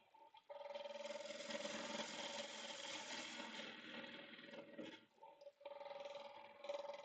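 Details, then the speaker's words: Second turn of a bowl blank on the lathe: steady hum with a faint quick tick about four times a second, one per turn, from a loose soft bark/void section; it crunches when pushed and is about to come out. "Yeah, it's gonna come out. I can hear it crunching whenever I push on it."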